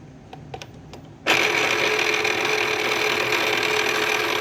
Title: cricut wont load mat plus loud grinding sound